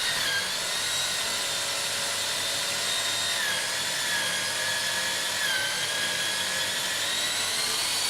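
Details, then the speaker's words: Drill boring holes in wood while assembling an ITG2 dance pad replica: steady high motor whine sagging lower twice as the bit bites and pulls itself downward; bit self-feeding. "time you can hear the pitch lower, that means it's sort of pulled itself downward, so I'm trying to stop it and make sure it doesn't just screw itself all the way in."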